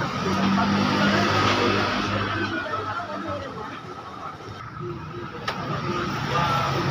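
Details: Vespa Zip 100cc two-stroke scooter that had been cutting out suddenly, after repair: small engine buzzing evenly, rising and falling as it's blipped, no stumbling; now runs cleanly.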